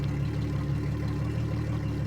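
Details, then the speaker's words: 2003 Yamaha 225 four-stroke outboard at idle, 361 hours, after fuel flush, oil pressure 82-85: steady smooth low hum with even tone and no knocks or misses; a running motor, new spark plugs planned. "We'll just check that even though we're sitting here idling. 361 hours on this motor. So, we have a running motor here."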